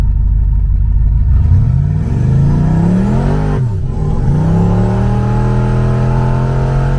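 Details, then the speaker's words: Blue boosted car driven home in the evening after a misfire was fixed that day, boost controller turned up a little: the engine pulls smoothly up through the revs, dips on a shift, then climbs cleanly again without stumbles or popping. Normal running under load. "so now I can turn the boost up on the car, and that'll be in another episode. For now, just enjoy me screwing off with the controller turned up a little bit on my way home that evening."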